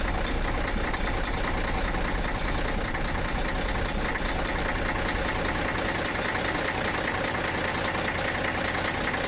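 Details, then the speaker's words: Caterpillar 977H loader, D333 diesel, after cracked-head repair, cold start in freezing weather with air lines frozen: a hard, rough clatter, a fast knock over a deep rumble. Harsh cold start, suspected to be air-related and unconfirmed. "That sounded like a John Deere cold start. I don't know what that is, but it's mad. I think it's air related."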